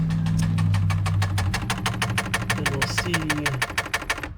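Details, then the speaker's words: 1994 Lexus LS400 engine bay, key on, code 47 with permanent TRAC light: fast fairly even clicking, about three per second, over a low hum; sub-throttle position sensor misaligned, problem persisted after trying a different ECU. "as you can hear there's a clicking in the engine bay and then it it triggers the track light"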